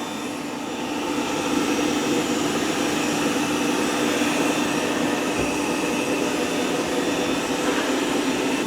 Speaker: Now it's not super loud, but it does make about 3 different noises. You'll hear water gurgling. You'll see water being pumped into here and out of here. It's kind of spinning the mop pads.